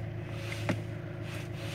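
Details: Knock at the steering shaft splines of a 2008 Fiat Scudo. It comes when the wheel is turned left and not right, and the steering rack was ruled out. H: two sharp knocks about a second apart over a low hum. First thought to be the column bearing or cross joint.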